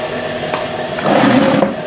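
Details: Microwave after repair of a failed capacitor and blown fuse, with parts taken from an old unit and fuse reinserted: even, steady hum of magnetron and fan, soft mid-pitched drone, no buzzing or arcing; working normally after repair.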